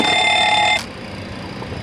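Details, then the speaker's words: Boeing 737 on ground power during cockpit preparation at Phoenix: the fire warning bell test rings loudly for under a second, then cuts off cleanly, with the wheel well light on; the bell works and silences normally. "that wheel well light comes on and that we're able to silence it. So we're good."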